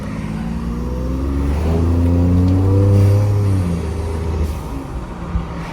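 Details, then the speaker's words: 2020 Ford F-150 EcoBoost with Injen aftermarket intake, turbo silencers (vortex generators) removed: engine revs and settles with smooth, clean turbo hum, previous turbulence noise gone; normal turbo intake sound. "it just sounds just a little bit cleaner."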